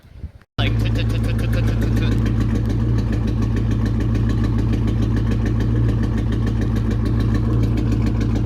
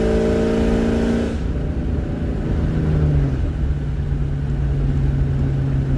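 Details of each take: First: 1999 Ford Mustang GT V8 at idle: steady idle with regular stumbling lope; scanner showed cylinder 3 misfire (P0303), fixed by new coil pack and spark plug. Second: 1999 Ford Mustang GT V8 after fixing a cylinder 3 misfire (P0303) with a new coil pack and all eight spark plugs: clean rev dropping smoothly to a steady, even idle, running great.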